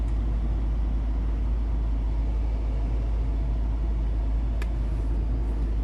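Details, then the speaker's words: Range Rover heater blower after replacing final stage resistor under dashboard; steady even low rush of air, no squeal or ticking; normal heater blower, fixed. "okay it works it blows really well okay oh okay so that is fixed"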